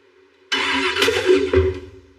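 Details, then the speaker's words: DeLorean fitted with a scrap LS V8 on a new tune, in neutral: cranks, catches abruptly and flares to a high uncontrolled rev with throttles closed, then sags; hard start and erratic revving, big vacuum leak suspected. "I have to think here why it would rev to the moon. Because that wasn't throttle stuck. No, throttles were closed. So do we have that big of a vacuum leak?"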